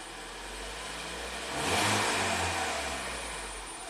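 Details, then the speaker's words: Ford EcoBoost van with intermittent P0106 MAP performance code, after stumbling at start, RPM slowly raised with fuel trims at zero: engine climbs smoothly from idle and eases back down, even and steady; normal revving. "now it's now it's it's fine it's happy man"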